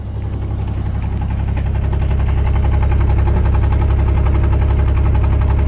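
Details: 2001 Pontiac Grand Am at start-up: heavy, lumpy idle with a steady deep pulse, about 220 beats a minute, shaking unevenly; cylinder 3 misfire code, coolant smell and white exhaust smoke, blown head gasket, spark plug and wire already swapped.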